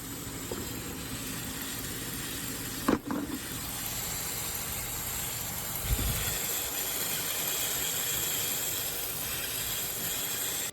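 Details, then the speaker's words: Heater hose leaking coolant steam while driving; smoke poured from the hood though the engine did not overheat. Steady airy hiss over a quiet running engine as coolant steams out. Fixed by replacing the heater hose. "Customers states they were just driving down the road when all of a sudden, smoke started pouring out the hood. They didn't overheat the engine, and it just needed this heater hose replaced."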